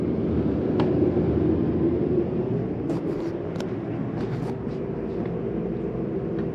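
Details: 2015 Jayco Eagle 306RKDS RV, AC switched on at the hallway thermostat: a steady even rush of air with a low hum underneath, no knocks or squeals. The AC runs normally.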